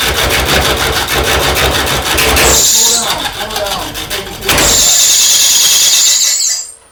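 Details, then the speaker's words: McNaughton coring tool slicer parting off the lid from a cedar burl on the lathe: shrill high squeal rising in bursts over the cutting hiss whenever the cutter is pushed; overfeeding, let it cut until shavings stop, then advance slightly. "can tell you're trying to cut, and it sounds like it's doing, and you're just putting a little bit more. But let it cut, and then Yeah. let it cut till it quits making shavings, and then advance it that 106 or 128th of an inch."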